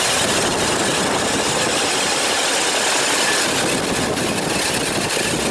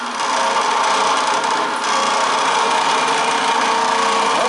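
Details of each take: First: About 42-inch belt-driven scrapyard fan, revived and fitted with a pulley change, now spinning slower. A steady, even rush of air with no knocks or wobble: normal running. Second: Roughly 42-inch scrapyard belt-drive fan, electric motor run briefly with no load: a harsh, rattly grinding over the motor hum from heavy play in the worn ball bearings.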